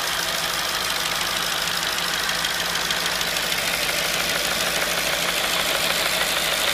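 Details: 2005 Audi B6 S4 V8 at idle: fast even light ticking about three a second over a soft hum; owner suspects intake manifold flap clicking or rattling.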